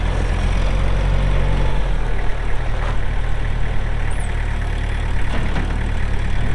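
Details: Kubota M6800 tractor (2004), pre-emissions diesel, 1,181 hours, 4WD with LA1002 loader: steady, even low rumble at idle with smooth firing beat, no knocks or misses; healthy normal idle.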